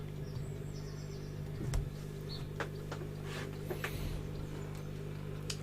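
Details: Valve radio under repair, powered through a dim-bulb tester at about 180 V and 100 mA, then with the lamp bypassed: a steady low mains hum that stays with the volume turned down; the smoothing capacitors are already replaced, and a loose valve is suspected.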